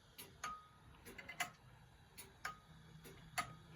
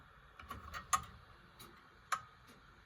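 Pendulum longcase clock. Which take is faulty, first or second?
second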